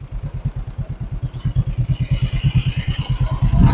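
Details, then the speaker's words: 1958 John Deere 420W two-cylinder tractor, converted to 12 volt, just started after over 35 years abandoned: slow, even chuff at about eight pops a second with no gaps; both cylinders firing and getting hot, clean idle. "It's way too quiet. It's a little too loud now. That's a little better."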